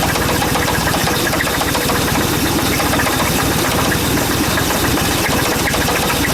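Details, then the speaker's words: Chevy Suburban with knock and squeak, plugs, wires and rotor replaced, after Seafoam in oil, fuel and vacuum line; rapid even tapping over idle, steady with engine speed. "hopefully my knock is gone oh I can still hear the squeak it's just not as bad"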